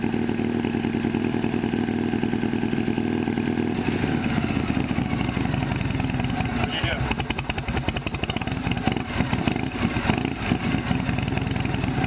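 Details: Shovelhead V-twin chopper with new S&S knockoff carburetor, after throttle cable fix: loping idle with even beat and some valve clatter on top; idles properly but smokes heavily.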